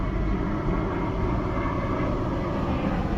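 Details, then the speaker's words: Chevy Cobalt SS after an engine replacement, earlier misfiring with an injector 3 fault, very low on probably old gas, smelling rich: steady, even low rumble with no stumble. Normal idle, running much better than before. "definitely runs a whole lot better it is very low on gas so and the gas is probably old"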